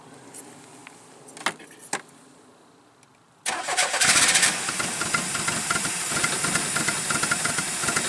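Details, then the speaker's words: Newly bought project car won't restart; lumpy, ragged idle sounding like only one or two cylinders firing; faulty clutch switch bypassed, smoked heavily and smelled of burnt oil earlier; cause not confirmed. "sounds like it's only firing on maybe one or two cylinders at a time"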